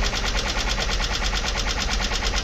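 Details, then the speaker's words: Junkyard engine (Isuzu/Honda) at idle: fast, even, sharp ticking over a steady idle that isn't going away; owner unsure of the cause, possibly the lifters. "y no parece que ese ruido se vaya eliminar poco a poco así que está un poco de miedo"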